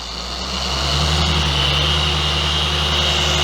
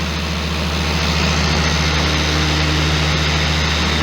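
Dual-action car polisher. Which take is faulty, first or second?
second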